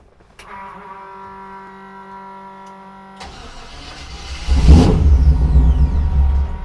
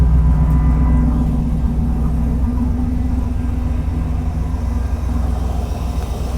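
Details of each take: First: 1948 Mercury pickup, first start in 50+ years; catches on fuel poured into the carburettor with a rough burst, revs briefly, then dies back to cranking, fuel-starved; owner suspects a gummed-up carburettor. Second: 1948 Mercury pickup V8 after its first start in 50+ years, good oil pressure; deep, even burble with smooth revs and no misfire; slight hesitation on startup, owner suspects the mixture is a little off.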